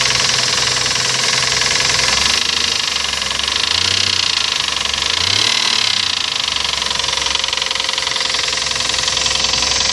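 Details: Toyota 1GZ V12 idling: even running with fine, persistent metallic tapping under the idle that holds steady throughout; internal knock, source not yet pinned down.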